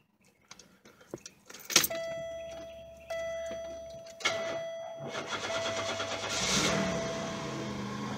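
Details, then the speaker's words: 1997 Buick Regal GS supercharged, with new plugs and wires and cleaned MAF and IAC, cold start after sitting about a month: brief crank, catches immediately, steady even idle with faint belt tone; healthy. "right away like usual should work"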